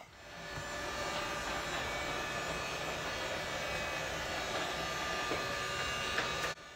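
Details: Cheap robot vacuum after its battery was upgraded: the small motor spins up to a steady light whir with a faint thin tone, no rattles; normal running.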